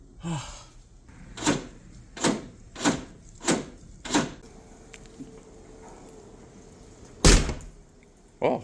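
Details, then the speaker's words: 1996-2004 Nissan Pathfinder R50/Infiniti QX4 after rear hatch latch replacement (old one rattled, falsely showed ajar): several firm single thunks as the hatch shuts, clean and solid with no rattle or double catch. "solid. Solid. Sounds really solid. Yeah, definitely. Definitely close. Yeah, that sounds a lot more solid now."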